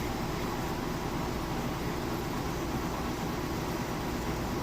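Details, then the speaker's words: Maytag HE top-load washer, like-new, rinse spin with drain running: steady, even whoosh and hum with no thumping, banging or scraping; balanced load spinning fast, normal. "then there again, you saw that it's spinning nice and fast, balanced on the inside."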